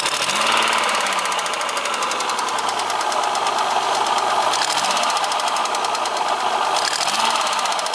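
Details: Opel X30XE V6 running steadily with a fast, sharp ticking knock over the engine note that holds even throughout; the knock is clear but its cause is unknown.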